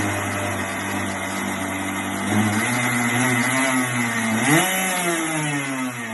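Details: Kart, first start after rebuild: small single-cylinder buzz picks up smoothly when blipped and settles back evenly, no knocks or misses; sounds healthy and crisp.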